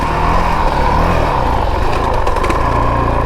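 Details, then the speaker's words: 2022 Honda CRF450RL single-cylinder riding slow on sandy trail without feathering the clutch: lugging at low revs with rapid juddering pulse over the exhaust beat; rear wheel chatter, risk of stalling. "okay so you don't feather your clutch that rear wheel is going to chatter and you could stall out"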